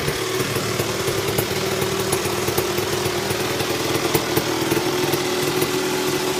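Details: Tecate KXT250 two-stroke, start with new fuel petcock, almost cold (last run half an hour earlier): raspy steady idle with crackly exhaust pops, no misses; running, idle still wants setting.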